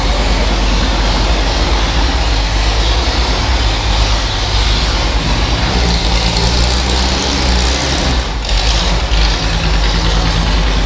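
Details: Superformance GT40 replica with a Roush-built V8, first crank after replacing the failing starter/solenoid with an upgraded starter; deep, even burble with a lumpy low rumble and no knocks, ticks or misses; healthy running.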